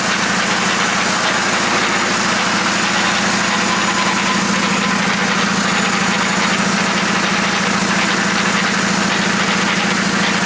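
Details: VW Jetta SportWagen during 4motion conversion, transmission just disassembled and rebuilt, engine running: steady rough mechanical rattle and drone; unhealthy transmission noise, source not pinned down.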